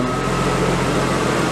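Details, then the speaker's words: Stock Nissan RB25DET in a 240SX, after fitting a blow-through MAF, with stock exhaust and reworked downpipe; boost gauge reads about 9 at idle. Low, steady, quiet idle hum with no rise and fall and no knocks; normal idle. "It seems to be idling good. Exhaust is quiet, so that's good."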